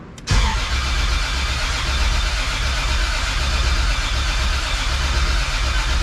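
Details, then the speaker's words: 1.5JZ-swapped BMW E46 M3 with rebuilt engine, open downpipe, both fuel pump fuses pulled after 2.5 months: cranked to build oil pressure, starter spins quickly and evenly with no drag or firing. "I unplugged all these fuel pump fuses cuz I have two fuel pumps uh we're just going to crank it get some oil pressure in it and then we'll start it"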